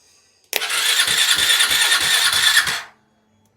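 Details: KTM Duke 390 self-start problem: harsh fast whirring crank with steady pulses for about two seconds, then stops without catching; starter spins engine but no self-start, cause unclear.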